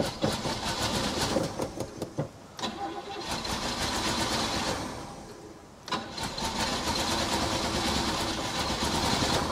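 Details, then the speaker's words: 1968 Chevy Caprice, sat 18 years, being revived. The starter churns and the engine fires, then sags and dies once the key is released from crank. Suspected ignition fault: power during cranking but none in the run/accessory position. "okay what I think's going on here is uh every time I let go of the key the when I think it's going to start running it just dies so apparently there's still some ignition problems"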